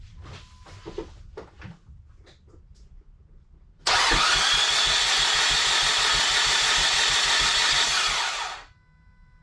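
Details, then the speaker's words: SRT-4 engine turning over freely for about five seconds on the starter to get oil flowing before firing; even compression pulses, no firing, normal cranking. "i'm going to crank it over and get the oil flowing through it before i fire it up"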